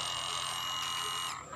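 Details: Kawasaki Ninja FI 250R fuel pump powered directly while diagnosing frequent stalling and a draining battery; an even, high-pitched whine holds about a second, then cuts off cleanly, so the pump runs normally and the fuel filter is to be cleaned.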